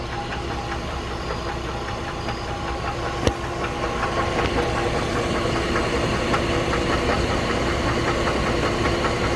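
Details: 2008 GMC Envoy, 220k miles, well-maintained oil, idling with a steady regular knock of about two to three beats per second; cause not yet found.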